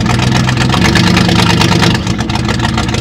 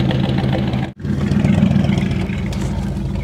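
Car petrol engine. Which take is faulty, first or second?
second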